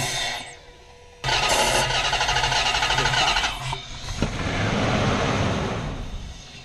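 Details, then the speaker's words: Range Rover with a full fuel tank that cranks with a rapid, even rhythm but never fires; it started on carb cleaner sprayed in the intake, confirming a bad fuel pump, and it started once the pump was replaced. Crank no start, failed fuel pump. "it just keeps on cranking over and we'll crank it up it won't start and it won't start right"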